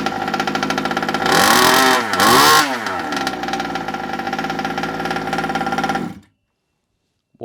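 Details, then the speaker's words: Rebuilt Rovan Q-Shorty petrol two-stroke RC car, first start after priming and choke: blipped twice to a clean scream, then steady, even buzzing idle; running healthy. "Perfect. Absolutely perfect. Sounds good."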